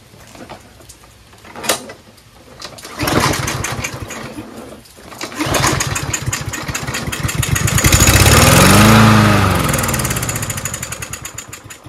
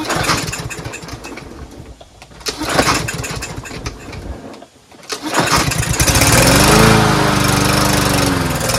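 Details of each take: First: Troy-Bilt TB110 push lawnmower that wouldn't start, choke closed, starting fluid sprayed into the intake: engine catches, revs briefly, then sags and dies, showing fuel starvation; owner concludes the carburetor just needs cleaning. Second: Troy-Bilt TB110 push mower that would not start, after a carburetor clean with good fuel and clear lines: the small single cylinder pulls over after a few tries, catches and settles into a steady, even run.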